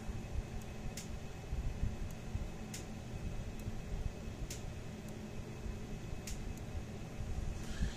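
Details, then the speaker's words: Kencove solar fence charger on a 13-volt bench supply during repair, crisp quiet clicks every second or two over a low hum, pulsing normally; about 8,000–9,000 volts output, not a loud unit. "I can hear it clicking my brittle out which is fine then not they're not a loud unit"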